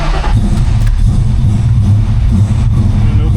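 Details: Ford V8 started cold without choke after sitting a couple of days, after the belt was moved over a notch (same belt) to cure a squeal: a deep, steady idle rumble with no belt squeal or chirp. Normal idle.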